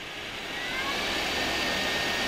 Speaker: the fan in this is actually extremely powerful if we start spinning it up to full speed